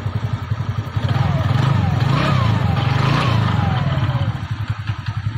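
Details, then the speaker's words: TVS Ntorq 125 scooter after repair of an engine noise complaint: steady low even putter at idle with no rattle or clatter; sound now good, normal idle. "Gas sound तो अच्छा हो गया"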